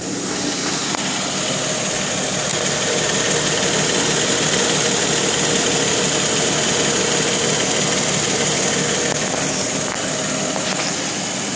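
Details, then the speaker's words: 2012 Jeep Wrangler JK Unlimited Rubicon Pentastar V6 idling with a light, regular ticking, about three ticks a second, recorded through the wheel well; louder in the engine compartment; several dealers did not acknowledge it. "My Jeep JK with a ticking noise coming from the engine. Here it is through the wheel well, as you can hear."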